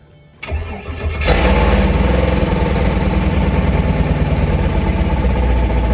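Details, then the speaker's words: LS V8-swapped Pontiac G8 with reused V6 exhaust, first start and not yet tuned: it cranks and catches, then settles into a lumpy idle with a faint ticking puff, an exhaust leak somewhere. "we got an exhaust leak somewhere i don't know not that bad not that bad i like it"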